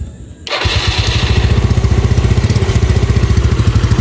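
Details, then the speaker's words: Yamaha Nouvo carbureted scooter, hard starts and popping, after fitting a Yamaha Xeon vacuum slide with the old Nouvo diaphragm rubber: catches and settles into a steady idle, only very slight popping left; normal, stable idle. "kalau didengar dia langsungnya lebih stabil ya bisa memang diakibatkan dari karet vakum yang agak pendek ya"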